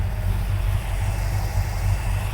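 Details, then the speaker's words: 1970 Dodge Challenger R/T V8 just after swapping to a freshly rebuilt carburetor, first start then warming up: deep even idle, steady low burble, no stumbles or knocks; running cleanly, sounds better already. "okay let's warm it up give it a few minutes and see how it goes"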